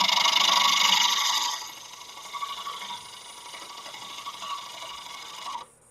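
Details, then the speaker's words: Birch bowl outside finish turning on a Laguna 1524 lathe, loud dust collector running: scraping cut with a light rhythmic tick three or four times a second, once per turn, as the gouge catches a knot. "I knew I was hitting something. I could hear that knot."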